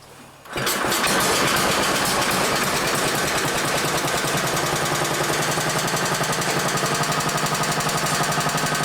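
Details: Old Briggs & Stratton single-cylinder, possibly 1960s, from a Hale fire pump, pulled from storage, choke on: catches within a second and settles into a steady, even putter around four beats a second; normal start and run.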